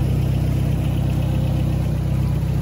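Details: 1971 International 1310 grain truck, old farm truck V8 just started after sitting: steady, even low rumble with regular beat, no knocks or stumbles; idling smoothly and healthy, "blowing the mice out."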